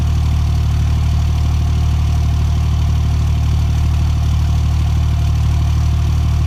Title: Cold start misfire